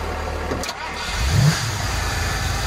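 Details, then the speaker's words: Old red Ford on brand new gas, revived after sitting: cranks, fires right up within a second and settles to a steady, even idle with oil pressure, no knocks or misses; normal start and idle. "A 6.2 diesel being boosted won't start a daily driver, and this piece of wood just fires right up."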